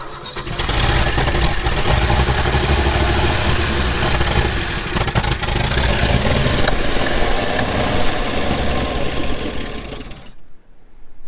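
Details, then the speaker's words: 1961 Chevy Bel Air 235 inline six, parked since 1981, fires up after points reset to 0.017 in and runs loud and fairly steady with slight unevenness; ignition timing a little off but sounds pretty good. "timing's off a little bit but sounds pretty good"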